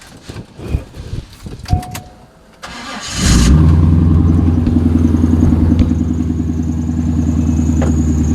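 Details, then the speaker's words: Chevrolet Corvette C5 V8, at start-up after valve cover gasket replacement, lumpy idle with a thin high chirp from the front crank pulley: harmonic balancer chirp, next repair on the list. "steer hear the chirp from the balancer so that's got to be that's next up on the list"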